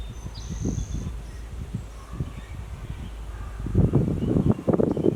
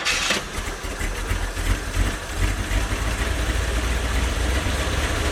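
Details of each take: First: One-owner 1972 Chevy G10 van with a 307 small-block V8 and automatic, sitting since 1997, now on a new fuel pump and fresh gas and drawing fuel. It runs rough with low, uneven thumping; the owner suspects a massive carburetor vacuum leak. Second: One-owner 1972 Chevy G10 van with a 307 small-block V8 and automatic, sitting since 1997. After a new fuel pump, fuel line and five gallons of fresh gas, it cranks, fires and holds a steady idle; normal start.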